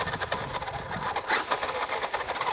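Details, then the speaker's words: Traxxas X-Maxx 8s RC truck gives a fast, gritty gear-like clatter swelling and fading with throttle; not the gear mesh but a worn center driveshaft, confirmed with the plate off and later replaced. "It's not the mesh. I want to say it's a center drive shaft. Let's go and take that plate off real quick. Let's see if it's a center drive shaft. Yep. That's kind of what I thought it was because the way it was making noise, it sounded like a gear."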